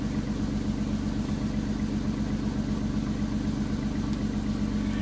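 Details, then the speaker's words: 1993 Chrysler Town & Country minivan cold start after one to three weeks sitting in freezing snow: steady puffing tick about 158 per minute at idle, running rich; owner suspects small exhaust leak. "think it's got a little bit of an exhaust leak I'm sure that sound like it"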